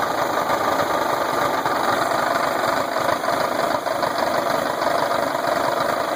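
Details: VW engine idling thin and clattery: steady metallic knocking in the engine beat; lower-end knock, owner suspects rod knock, unconfirmed.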